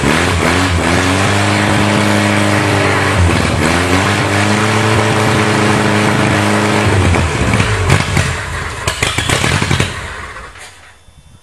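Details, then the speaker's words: Toyota carbureted engine, cold-started after sitting 8 years with the electric choke wide open and a primer shot: revs surge, sag and stumble. The owner suspects a dirty carb, and it didn't idle well before storage. "does sound like the carbs a bit dirty it probably was when I put it away it didn't idle that that well"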